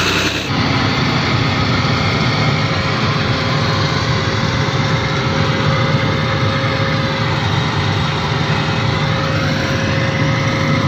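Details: Hard-starting excavator diesel engine, which only fired with petrol priming, now running: steady, even diesel clatter at constant speed with no misses or surging; settles into a normal smooth idle.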